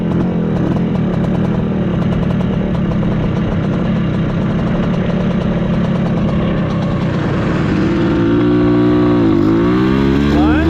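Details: Bultaco Metralla two-stroke street bike: uneven, hunting crackle and rasp with revs rising and falling, ragged off choke and dies without choke, especially when opened wide; owner suspects a problem with the carb slide or needle, unconfirmed.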